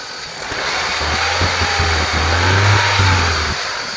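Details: BMW E46 318i M43TU engine after balance shaft removal (balance shaft bearing shell had failed, causing knock): engine picks up and revs smoothly with even low drone and no knocking underneath; normal running.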